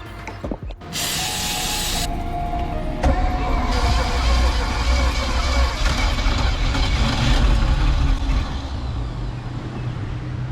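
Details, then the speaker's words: 1979 Sea Ray boat engine that sat 17 years, cylinders soaked in ATF overnight, possibly no compression in the back two cylinders: starter churns steadily with a few ragged catches and brief firing bursts, not yet running on its own. "all right boys I heard signs of life which is good"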